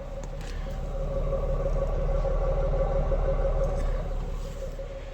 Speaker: but it's sitting here running right now you can barely hear it it's nice and smooth